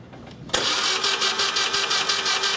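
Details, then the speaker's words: 2002 Mini Cooper 1.6 turbo, cranking with plugs removed, coil disabled and seized alternator's belt off: starter spins the engine freely at an even rhythm, no binding; cranking now normal. "all right that sounds a lot better let's get the plugs put back in it see if this thing runs"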